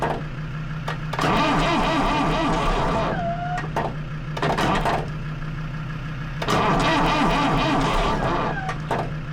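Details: Lansing Bagnall Model A tug with Perkins P4 diesel, cranked after applying heat. The starter turns slower than wanted, with repeated cranking and brief stumbling catches that die; it has compression but won't start, cause not yet found.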